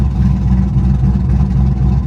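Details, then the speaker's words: Lopey, jerky V8 idle at a salvage auction that cleans right up with a little throttle and sounds almost like a cam; the missing cold air intake could also be a cause. Rough lopey idle, cause unconfirmed. "oh my goodness guys the way this car lopes it's it the car is jerky but as soon as you get a little throttle it cleans right up it almost sounds like a daggum cam"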